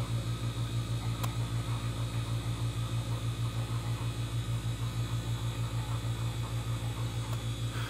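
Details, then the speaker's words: Radiant floor heat circulator pump on small hot water tank, after air bled from system: low, steady hum with smooth even pulse, no rattle or gurgle, refrigerator-quiet; normal pump operation. "this thing is super quiet now you can hear it running just sounds like a refrigerator running a pump on the refrigerator"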